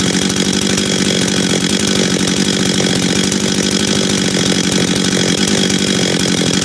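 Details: Husqvarna 385 chainsaw, first start after reassembly, first heat cycles: steady high rev with crisp, even exhaust note, no misfires or hesitation; starts and restarts easy, throttle response good, chain brake works — normal running.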